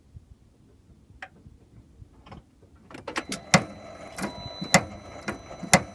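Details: Range Rover L322 steering clicking on full lock, engine off: sharp isolated clicks about once a second, louder near lock; owner first suspected track rod end ball joints but they looked fine; cause unconfirmed.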